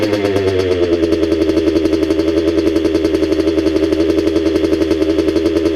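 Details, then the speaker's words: Restored 1985 Kawasaki KX125 two-stroke, first run after engine rebuild with cylinder and rings heavily oiled: fast steady buzzing idle sitting a bit high; idle needs turning down, oil still to burn off. "the idol needs to come down a bit but this sounds really good overall i oiled the cylinder and rings up quite a bit during the engine build so that needs to burn off too"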